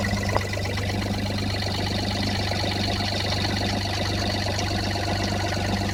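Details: Toyota 1FZ-FE engine at steady idle: fine, fast, even tick over the low hum, thought to be valve tapping, cause unconfirmed.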